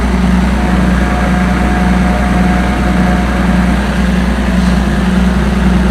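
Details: Combine 525 diesel after water pump replacement, warm after working hard: deep steady idle, even low rumble, no knocks, rattles or hunting; healthy.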